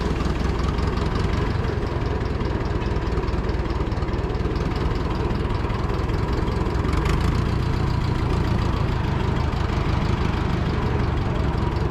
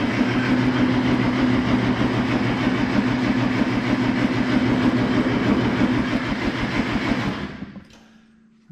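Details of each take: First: Oliver Super 44 tractor that sat almost a year: steady low idle with an uneven beat and occasional dropped firing pulses; it still misses slightly, cause not pinned down (owner thought a sticky valve may have freed up). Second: Oliver Super 44 flathead tractor cranked with carburetor run dry: steady cranking about three even beats a second, no huffing through exhaust or intake, no speed-up; compression even, stuck valve thought unlikely, moves on to spark plugs.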